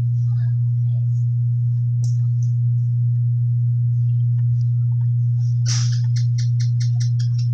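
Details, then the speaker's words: LD Curve 5 active speaker system with amplifier, volume turned up: a loud, constant, low mains-pitched ground hum. Owner says it had no hum when new. Hum from corroded potentiometers. "Grabeng haming mga loan Kung naririnig niyo haming lakas ng ground"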